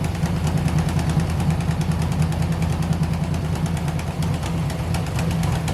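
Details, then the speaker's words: 1971 Chevy Nova pro street small-block V8 idling after timing was backed off, before repair. Sharp rapid ticking over a lumpy rumble from a blown left-bank header gasket leaking exhaust, later sealed with aluminum silicone. "part of why this thing sounds like crap more so than runs like crap is it's got just a blown out header gasket on the left bank"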